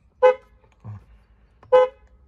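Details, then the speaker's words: Peugeot 307 horn after its failing contacts were sanded and cleaned of crust: two short, clean toots about a second and a half apart, each a steady clear tone; the horn now works normally. "funcionando simples. Só passar uma lixazinha nos contatos. E limpar, tirar aquela crostazinha."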